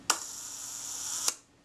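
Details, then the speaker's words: Kodak Retina I type 118 camera, roughly 85-year-old shutter, tested at one second: crisp opening click, steady whirring buzz about 1.2 seconds, closing click; slow speed working normally. "the tenth of a second is somewhere around about here that wasn't bad one second that sounds okay"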